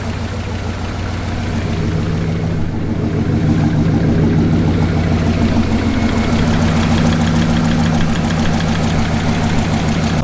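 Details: 1968 Lincoln Continental V8 idling after about 10–15 minutes, following valve-tick repair work: steady idle with a light regular tick about three per second, likely valve train/lifters.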